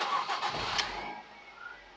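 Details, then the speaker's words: Ford Mondeo Mk3 2.0 Duratec Titanium, after alternator replacement: short crank, then the engine catches cleanly and settles into a smooth quiet idle with no stumble; the battery light now goes out, so the fault is fixed. "and there we go that's going straight out now so that tells me our issue is now sorted"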